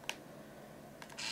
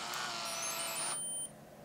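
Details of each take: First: Point-and-shoot digital camera, roughly 17 years old, AA powered, switched on: beep, click, then loud high steady whirring as the lens extends, camera still works; noisy lens motor. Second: Powering on a point-and-shoot digital camera from an untested auction lot: short electronic chirps, lens-motor whir, SD card being read, then quiet; normal healthy startup.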